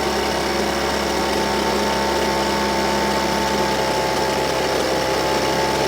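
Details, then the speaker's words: Husqvarna 125BV blower, which bogged at full throttle, after turning the low jet from 1 1/4 to 1 1/2 turns and raising the idle: constant, steady-pitched two-stroke buzz with no surging or dying; normal idle. "so uh right now I like where it's at sounds good running good idling good"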